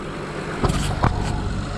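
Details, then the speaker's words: Honda power steering pump after replacing O-rings, reservoir filled full, engine running: steady low hum with brief knocks, no whine or groan, fluid not foaming; power steering previously did not work, now normal. "yeah that's a lot better than it was last time but i did fill up that reservoir all the way this time doesn't sound like it's foaming up because you would hear it whining"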